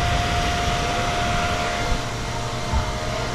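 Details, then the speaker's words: Kawasaki ZX10R with a new lithium battery, engine just switched off at 100° coolant temperature: radiator fan keeps running with an even, steady whoosh; bike restarts easily while the fan runs. "Yan, narinig niyo yung fan. Gumagana"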